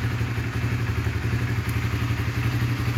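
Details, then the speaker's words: Original 2006 Honda CBR 150 (never opened engine, stock exhaust) starts instantly on the button and ticks over at an even, quick, stable idle with no knocks or misses; engine and electrics healthy. "Nah langsung aktif teman-teman itu menandakan mesin dan kelistrikannya oke langsamnya juga stabil teman-teman"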